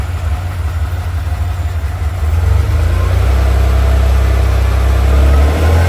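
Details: 1979 Ferrari 512 Boxer, four triple Webers after rebuild and tuning (previously spat and backfired, hard off idle): deep steady note swells cleanly as the throttle snaps open, no spitting or popping, carburetors pulling evenly; healthy throttle response.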